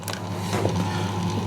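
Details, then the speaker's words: Vintage 1960s-style radio studio tape cart machine just powered on, described as noisy for studio gear: constant low motor hum with light whirr as the tape capstan runs; normal capstan motor running. "that orange light comes on, and can you hear it now whirring away? Now that's because the capstan, the tape capstan, is now running,"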